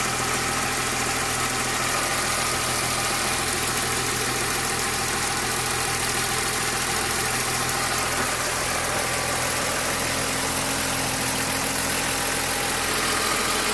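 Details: BMW S50 engine with VANOS rebuilt about 15,000 km earlier; at idle a busy, irregular metallic clatter rides high over the engine with little low rumble. Abnormal engine noise at idle, cause unclear.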